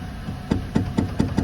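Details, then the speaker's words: Walcker pipe organ in a Lutheran church in Kazan under inspection: sharp wooden knocks, about five in 1.5 s, as keys are played; mechanical tracker action knocks too loudly, rocker arms hitting where cardboard is glued instead of soft cloth or leather. "Actually, the struts are the main reason I came here. Because, ah, the tractura sounds louder than... Do you hear that? Yeah, just some kind of set of wooden pieces."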